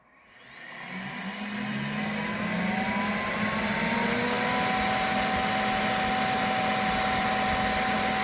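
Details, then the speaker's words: Creality K1 high-speed FDM printer with all fans working: fans spool up over a second into a loud steady roar with a high whistling tone on top; excessive fan noise. "When all the fans are working, it's noisy. And I don't just mean a little bit noisy. It sounds like a Chinook trying to take off out of a bucket."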